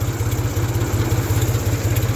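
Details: 1974 Ford 3000 gas three-cylinder tractor, 8-speed, revived after water in cylinders locked the engine; freed, new muffler. Steady low chugging idle, about ten even pulses a second, no knocks or misses; runs pretty good now, normal idle.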